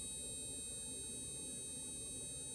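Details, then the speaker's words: HID headlight bulb on a bulb tester, lighting blue: faint steady hiss with thin high whine that fades as the light reaches full intensity, normal startup. "you can hear this hissing noise and the hissing noise will dissipate with time that's that's uh when the light achieves its full intensity"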